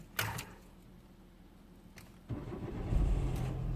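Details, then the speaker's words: 2004 Citroen C4 1.4 petrol, KFU engine, codes P0201–P0204 and P0443 open circuit: a click, then the engine catches and runs unevenly for seconds before cutting out; the relay contacts are suspected. "starting now I just turned itself off okay so it's not starting again as you can see it starts early AB and then it goes off I believe is I don't know maybe the the relay contacts"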